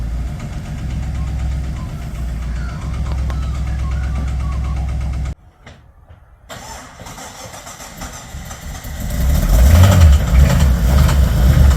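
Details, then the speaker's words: Newly bought project car at idle: rough running with a steady rattly knock around three per second, then a cut-out and restart; a bottom-end knock the owner suspects is a spun bearing. "cuz it is fairly rattly so to me it sounds like it's done a spun a bearon"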